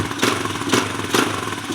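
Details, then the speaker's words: Kawasaki KLX140 that ran lean with a hanging idle, after cleaning the pilot jet and raising the float level, not fully warm: steady idle with even pulses, no stumbling or hunting; normal idle. "It seems to be idling pretty well."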